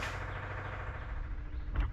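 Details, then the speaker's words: 1963 Corvair with newly fitted electric fuel pump, engine off: low, steady, unchanging hum, much louder than the racer's pump; not leaking, but deadhead pressure reading struggling and vapor lock suspected. "It's not leaking, but it is making itself known. Can you hear it from there? Oh, man. Compared to the racer's pump, that thing is just obnoxious."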